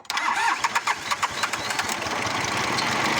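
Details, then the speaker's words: Tractor diesel that stalled with a flat battery, started using a mini jump starter. Several quick cranking knocks, then it catches and settles into a steady rumbling idle; a clean, successful start. "осьо фрезерування такий результат завели успішно кардан як новий вже працює нічого не випадає нічого не стукотить"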